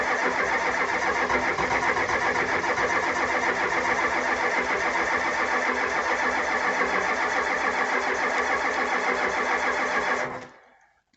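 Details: 1985 Ford F250 6.9 IDI diesel, 4-speed manual, unstarted 4–5 days at down to −27°C, −17°C today, frosted engine: starter cranks at an even brisk rhythm about ten seconds, never catches; no-start from gelled fuel, no anti-gel added.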